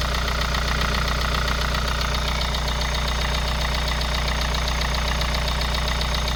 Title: KIA Sorento prime 2.0 Стук на холодную.